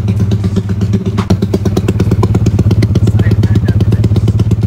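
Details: Yamaha scooter "Jagur" (NMAX mentioned) after its worn starter gear and one-way clutch were replaced; it previously would not start. Tested in the afternoon: it idles with a steady, even thump and no starter grinding or slipping, starting and running normally.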